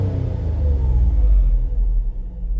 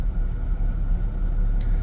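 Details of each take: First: 2003 Mazda MPV after a throttle body repair for rough idle (earlier fuel trims showed it running lean): the deep engine rumble swells smoothly on a throttle blip and settles back without stumbling or stalling, so throttle response is now normal. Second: 2003 Mazda MPV at hot idle, fan on, fuel trims slightly lean (long-term 12.5/10.2): low idle surging up and down unevenly, stalls on throttle; rough idle from a dirty clogged throttle body.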